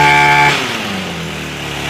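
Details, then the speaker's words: Echo SRM225 trimmer after carb rebuild, choke off: revs cleaner but settles on a fast busy idle, too high because idle screw was turned up earlier when it ran poorly. "And notice the idle's a little high. So you can hear it idling way too high now. And that's because it wasn't running correctly before and we had to turn the idle up."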